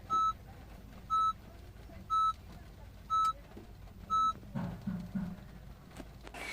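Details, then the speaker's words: Honda City at startup: five crisp beeps one per second, the secondary dash chime, severe warning with key battery warning on display that the key fob battery (CR2032) is low and needs replacing. "can also hear that secondary beep sound that means there is a severe warning alert for the replacement of the car key battery"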